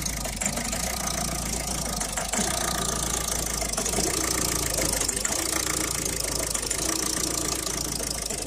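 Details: 2011 Citroën Picasso diesel after replacing the diesel pressure sensor, which fixed the earlier problems: even idle with a light, fast chatter and faint rattle over the clatter; tensioner and pulley noise.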